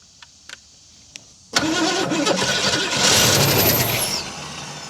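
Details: 1968 Ford Mustang that sat in a barn for 30 years, coil hot-wired: a few faint clicks, then it starts right up, blips up and eases back to a steady idle. Normal start.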